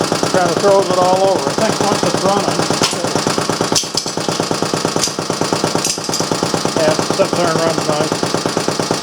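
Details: Restored Briggs & Stratton Model A single-cylinder engine, with an inline fuel filter added (no sediment bowl), clamped on the bench: rapid, steady chuffing beat, firing evenly without skips or rattles; running properly.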